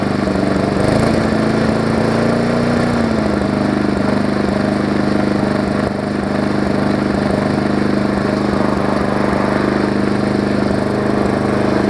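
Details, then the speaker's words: Briggs & Stratton Classic engine swapped onto a Hyper Tough deck with a Weed Eater 22-inch mower's gas tank; small single-cylinder engine holds a steady even drone, no misses or knocks, runs better and smoother than the old one; normal running. "it runs better than the old"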